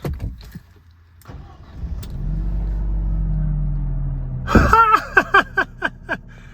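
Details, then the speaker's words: Mercedes SLK after fix and clearing fault codes: engine fires and holds smooth steady idle with no misses or knocks, then clicks and handling noise; check engine light gone, normal idle. "So the car's idling fine. Check engine light is gone."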